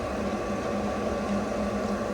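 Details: Newly installed variable-speed replacement pool pump turned down to setting 1 (about 2,900 RPM, low wattage), praised as very quiet: a smooth, steady motor hum with no rattle, grinding or surging. Normal operation.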